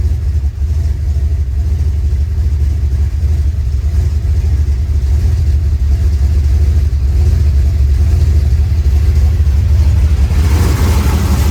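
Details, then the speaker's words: Rebuilt 383 V8 with new valves and lifters, warm after about 15 minutes idling with good oil pressure: deep steady even idle, no knocks or ticks; minor exhaust leaks at the V-band clamps. "it's running good it sounds good and I'm happy"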